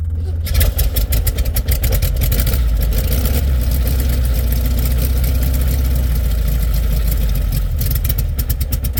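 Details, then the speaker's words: 1967 VW Beetle cold start at about 8°F, pumped before cranking, battery a little low: heavy, labored cranking catching into loud rough cold idle; slow cranking, low battery suspected, possible generator problem noted. "there you have it batter's a little low"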